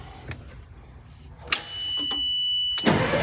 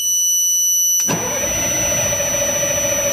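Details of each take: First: Military surplus LMTV diesel truck after fitting correct five-pin start inhibit relay in place of a four-pin one: starter cranks briefly, engine catches and settles into a steady, even run with no misses or knocks. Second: Military LMTV truck, batteries charged to 28.2 volts, taped-over loud buzzer; steady high buzzer, then starter turns the engine over at an even pace without it ever firing: cranks but won't start.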